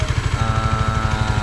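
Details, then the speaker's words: Honda CB150 after engine refresh with new block, valves, valve seals and gaskets, idling for break-in after running a while: even, steady single-cylinder thump about eleven beats a second, no knocks or rattles; healthy. "Okay, ayan, so pinapaandar natin para break in. Ayan, kung maririnig nyo, umiikot yung pan."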